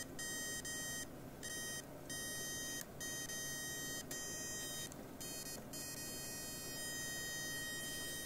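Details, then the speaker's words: Graham Farish N gauge GNER HST power car, Chinese Poole-type chassis with both bogies powered, non-runner: thin high-pitched buzz cutting in and out, motor powered but not moving; pickup issue and motor jamming suspected. "i think we have a pickup issue as well because that buzzing just lets me know the motors getting power"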